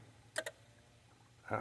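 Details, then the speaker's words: 2003 Bengal Tiger River Spas hot tub, heat circulation pump removed and cleaned, running hot: low pump hum, quick double click then heavier clack as heater trips on overheat; owner suspects low flow, gunk possibly remains. "you hear that just tripped off yeah all right so I may have solved one problem but not enough of the problem"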